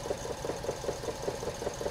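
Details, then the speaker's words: Idling petrol engine with a PicoScope 2204A channel B ground lead connected while probing the injector circuit: rough, knocking pulses about five times a second. The common-ground scope lead grounds the injector and causes a misfire. "so basically what's happening there is that we've got that ground side connected all the way up to here and basically we're grounding that injector through channel b so that's why that was happening"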